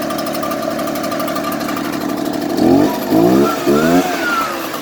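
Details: Echo two-stroke blower idling unevenly and hunting, then three short throttle blips rising and falling; rough idle.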